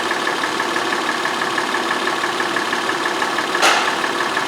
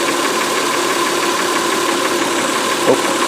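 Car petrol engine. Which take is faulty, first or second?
second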